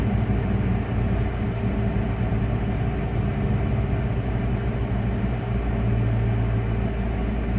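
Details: 1996 Dodge Ram 5.2 V8 after cleaning a very dirty throttle body and fitting a new IAC valve, hot day: low, steady rumble with an even beat and no dips or stumbles. Previously RPMs dropped very low on throttle let-off. Normal idle.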